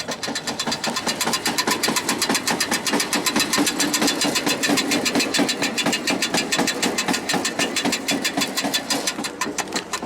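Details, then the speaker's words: Tractor-mounted grass mower cutting silage, lowered and running: fast, fairly even banging about four per second; shouldn't be making that noise, cause unknown. "Cool, you can hear that banging away, can't you? Shouldn't be making that noise."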